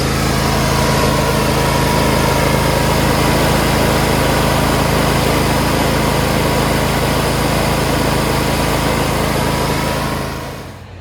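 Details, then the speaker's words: Briggs Intek V-twin run a few minutes before sump gasket replacement for an oil leak at the sump gasket: even, steady run with no knocks or misses, then clean shutdown; normal running. "Start it up, run it for a few minutes. Just take that out. Engine really sounds good."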